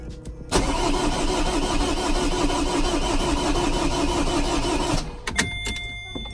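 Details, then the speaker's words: Vauxhall Corsa D 1.3 diesel after ECU repair and all fuel lines changed, no fault codes; starter cranks steadily about three compression beats per second for over four seconds, never fires; air locked in fuel lines. "Let it prime again because I changed all the fuel lines and everything. Doesn't want to start."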